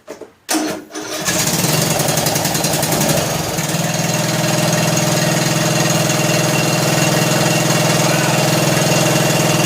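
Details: John Deere L100 lawn tractor single-cylinder engine, long sat, just started after hard cranking, warming up: settles to fast idle with light rapid ticking over exhaust beat; valve lash noise that fades as it warms and on revving; valves need adjusting.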